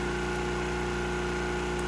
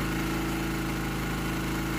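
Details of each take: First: Generator set slightly high and tuned for a 1500 W load, now under a 1500 W toaster load at 120 V and just under 60 Hz: a steady, even drone with constant pitch, no hunting or surging. It holds speed well, running normally right on the sweet spot. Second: Generator with its speed set to about 60 Hz at no load, then put under a 1500 W toaster load: the drone turns heavy and labored with a rough undertone. Output sags to 117 V and 54 Hz, so the engine bogs because the governor speed setting is too low.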